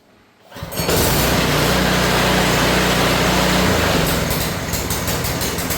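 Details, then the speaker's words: New Harbor Freight single-cylinder engine on a rebuilt American Cruiser go kart, first start left to run: catches and settles into a steady even idle with fast regular patter; sounds healthy. "Let's go ahead and start it up first. Just let it run for a little bit."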